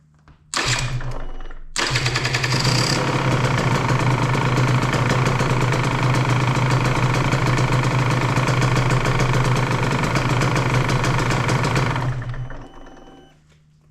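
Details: 2023 KTM 150XC TBI two-stroke after setting the TPS and ECU values, just washed: catches after a short crank, then crisp even idle for about ten seconds before cutting off; healthy.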